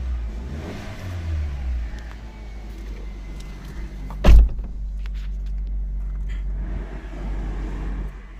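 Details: New-model Suzuki Ertiga (CNG) that cranked but would not start, after repairing fuel pump wiring at the tank chewed by a rat: low, even engine rumble with a short rev rise and one sharp knock midway; normal running.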